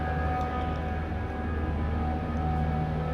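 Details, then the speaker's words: 100-ton chiller compressor (Bitzer oil) restarted after repair with new bearings, new rotor, new motor coil replacing burnt one, and fresh original oil: steady even hum, no rattles, knocks or surging; runs smoothly like original, normal running. "পুনরায় চালু করলাম, খুব সুন্দর এবং সাউন্ডটা একবারই smooth, অরিজিনালের মতো চলতেছে। অনেক সুন্দর চলতেছে।"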